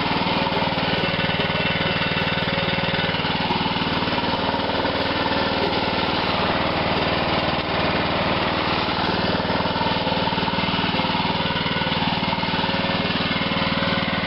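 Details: Lawn mower left sitting for an unknown time, run after ATF was squirted into the cylinder: loud, fast, even single-cylinder chatter at steady speed with no misses; running smoothly.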